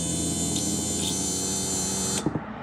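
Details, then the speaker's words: Audi TT mk1 roadster convertible top hydraulic pump after bypassing a failed comfort module, slightly low on oil; steady even electric whine with buzzing edge, then cuts off with soft clunks as rams raise and lower; normal pump operation. "Alors je manque un peu d'huile mais vous voyez que ça y est mes vérins montent et descendent ce qui n'était pas le cas tout à"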